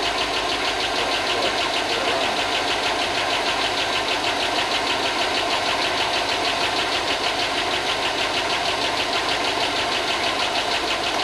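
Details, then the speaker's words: Chevy 5.3 LS from rusted Tahoe donor, first run after long sit and not running when bought: steady rapid light top-end ticking over even idle; owner hopes lifters pump up and noise goes away, good oil, cause unconfirmed. "Well, it hasn't run in a long time, so hopefully the lifters pump up and that noise goes away."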